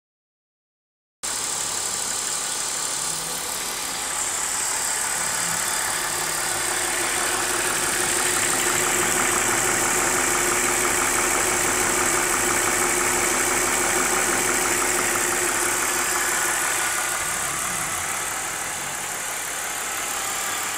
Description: ticking noise comes on warm engine